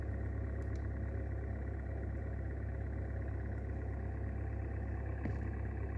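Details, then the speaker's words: Hyundai Solaris 1.4 petrol, 170,000 km, cold idle, recorded in the engine bay on the passenger side with hood up: rough gritty grinding and loose uneven knock; bearings suspected, cause not found. "когда капот поднимаешь такой скрежет и копыта подшипники или что-то в этом роде даже не могу сказать что пока причину не выявил"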